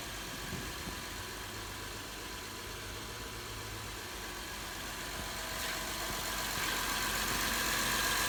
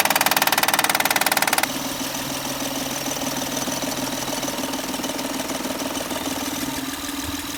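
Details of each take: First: 2011 Honda Accord 3.5 L V6 petrol idling smoothly and evenly with no knocking over the steady hum. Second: 2011 Honda Accord 3.5l loud knocking noise easy fix by replacing Timing bel tensioner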